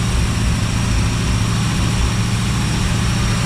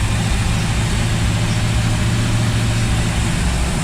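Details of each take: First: Rebuilt 1955 Chevy V8 at raised idle for cam break-in, about 7 minutes after start: a deep, steady rumble with a faint occasional stumble. The owner suspects the vacuum advance plugged into full vacuum causes a slight plug miss; a slight rear exhaust leak is also heard, likely from reused collector gaskets. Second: 1955 Chevy small block V8 just rebuilt with stock parts, during cam break-in, with a 180 thermostat, fuel pressure at 6 psi and slight black smoke (running rich). A deep, steady idle burble with no knock.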